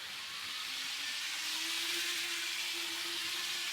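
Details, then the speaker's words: Roco HO gauge digital starter set locomotive at full speed on DCC: even high hiss with a faint steady hum, no stutter or knocking; runs smoothly at speed though low-speed crawling is poor. "Yep, that's nice and smooth."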